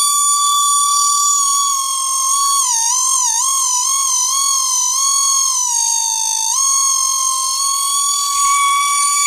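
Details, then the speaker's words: Mercedes 600SL electronic throttle body motor: thin, steady high whine sliding up and down in pitch as the motor speed and voltage change; throttle body motor whine. "changing the speed I'm changing the voltage so you hear the pitch changes that was the high pitch noise"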